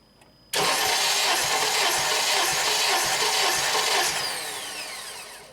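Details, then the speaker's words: 2007 Honda Accord EX sedan, 2.4L K24, cranking at wide-open throttle with injectors disabled and spark plugs removed for a compression test, cylinder 1 (about 185 psi): fast, even starter spin with no firing; turns over freely and winds down. "So we have to remember it's going to sound and crank different than when we have the spark plugs in and it's trying to start."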